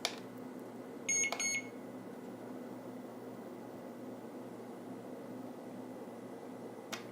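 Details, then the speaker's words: JJRC X9 Heron GPS 5G WiFi drone, bound with green rear lights, motors started in manual override mode after gimbal problem: three sharp high beeps then a faint steady hum; arms normally, gimbal still working, motors quiet. "now you see it's still working in the manual override the gimbal still working and I can override the motors it is quiet though I'll give it that"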